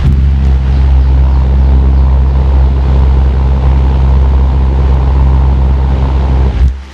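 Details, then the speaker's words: Sekai HFN 1210 industrial fan on speed 3, the fastest: strong steady hum with low even rumble of rushing air, no ticks, rubbing or wobble; normal running at high speed. "Sekarang nomor 3 ya, yang paling kencang. Kita belum pernah sih pakai yang ini, takut masuk angin juga."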